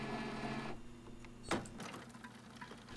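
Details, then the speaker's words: Epson WF-3640/WF-3620 printer showing error 0xEA: carriage motor whirs, stops at the same spot, then a sharp clack as the printhead carriage hits something; belt clean, no paper jam; damaged carriage blocking movement. "Bạn có thể nghe thấy tiếng lách cách rằng nó chạm vào thứ gì đó."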